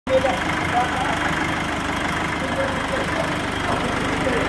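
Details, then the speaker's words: Nissan Frontier 2.5 diesel after repair of stalling when cold and engine noise; even, steady idle with smooth unbroken rumble, no knocks, misses or rattles; normal idle. "o barulhinho do motor agora. Perfeito."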